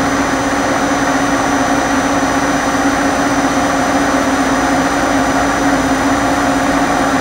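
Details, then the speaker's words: 1986 Okuma & Howa Millac 4VA 3-axis CNC vertical machining center, Fanuc 11M control, CAT-40 spindle (60–6,000 rpm, 2 steps), spindle run in MDI, recorded on a sensitive camera mic. Steady even hum, clean fixed tone, no knocking, grinding or squeal; quiet, healthy. "this is a pretty sensitive um microphone on this camera so uh i'm sure it's magnified what uh spindle noise you can hear but it's nice and quiet"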